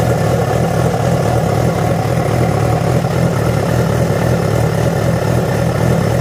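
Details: Yamaha FZ6 with a steady low drone at idle and a faint uneven pulse at about two per second; began after riding about 70 km on two cylinders due to a failed ignition coil connector; cause not pinned down.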